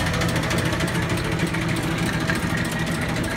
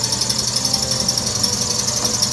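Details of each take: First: Bowser Century clockface gas pump pumping antifreeze through nozzle into filler pipe to bottom tank: steady, even motor whir with light mechanical patter, no knocks or grinding; running healthy. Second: Wayne 60 gas pump that sat over 40 years, electric motor belt-driven, first run after oiling: fast steady mechanical clatter with regular beats over motor hum as the stiff pump unit runs rough; owner expects it to ease once run in.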